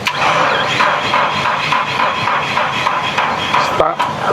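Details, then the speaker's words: Komatsu forklift with dead battery, new alternator fitted earlier, jump starter connected: rhythmic, labored cranking about three pulses a second that never catches; battery too weak, likely damaged by running long with the failed alternator. "Probablemente con el tiempo que duró trabajando con el alternador dañado, pudo haberse dañado la batería."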